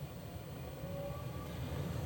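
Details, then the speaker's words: Gas furnace in test mode during maintenance, after stage one tested fine with no fault codes: low steady rumble whose tone lifts slightly as the vent (draft inducer) motor speeds up into second-stage heat; fans shut off; normal second-stage operation. "you've just heard now it ramped up a little more so it's gone into second stage it's in stage two my vent motor has sped up my fans have shut off"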